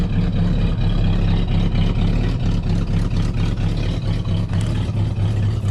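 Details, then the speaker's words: 1970 Pontiac Tempest V8 just revived with a temporary rigged fuel line and hot-wired coil: deep burble at idle with an uneven, loping beat that never settles, not the smoothest but running; rough idle from retarded ignition timing. "Doesn't have the smoothest idle, but it's running."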